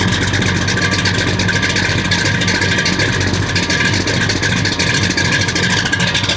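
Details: 1969 Buick Special Deluxe 430 big-block with big cam, after opening the fully closed choke: loud, steady idle with an even big-cam lope, no misses or knocks; runs much better, good oil pressure, water temp coming up.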